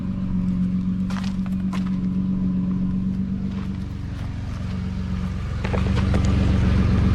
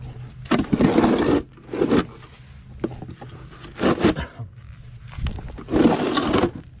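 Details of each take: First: 2009 Nissan Murano after stick welding rusted, broken exhaust: steady, even low idle rumble, no sharp puffing or rasp, much quieter than before though not fully fixed; normal idle. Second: 2009 Nissan Murano before repair: loud raspy blats on each throttle blip, dropping to a low rumble between, sounding like a stock car. The rusty exhaust pipe is possibly snapped in half and leaking, with steam escaping there.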